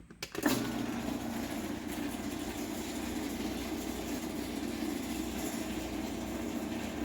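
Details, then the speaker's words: LiftMaster 8587W garage door opener (March 2016) on the rail, closing: clack at start then steady motor drone with buzzy edge, louder on the way down; owner thinks an end panel vibrates, source unconfirmed. "it's a little louder on the way down because one of these end panels vibrates I think it's the one on this side but I don't know"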